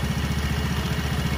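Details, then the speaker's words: Vespa Sprint 3V automatic scooter, about 36,000 km, single-cylinder: low, lumpy thudding idle with a steady pulse, slight clatter and vibration from the CVT; this rough sound is normal for the 3V engine, not a fault. "udah kalau triv getar agak bunyi kasar ya itu normalnya Vespa bukan karena memang dia rusak atau gimana memang bawaan dari lahirnya udah kayak gitu"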